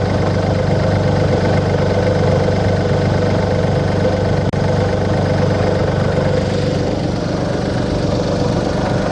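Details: 2002 VW Polo 1.2 three-cylinder AZQ petrol after non-start repair; smooth even idle, steady low hum, no knocks, misses or dips; normal idle.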